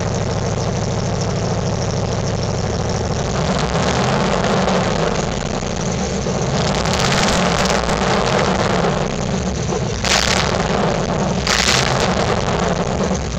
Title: Exhaust leak in my 1998 Ford Crown Victoria Police Interceptor